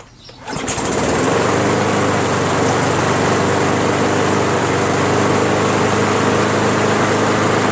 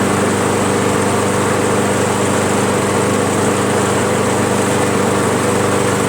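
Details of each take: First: Briggs & Stratton Pulsa Jet Prime carburetor mower before diaphragm and gasket replacement: starts, runs loud, rough and very rich, uneven about four pulses a second; owner suspects worn diaphragm and gasket. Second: Briggs & Stratton Pulsa Jet/Prime lawnmower after replacing plastic carburetor diaphragm and gasket (previously ran very rich, rough); steady even small-engine drone, no surging, misses or hunting, running smoothly.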